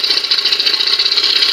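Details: 1997 Johnson 115 OceanRunner outboard after swapping a part that had made a chattering spring noise: fast, even, high-pitched buzz with a steady pulse and no chatter or knock; running normally.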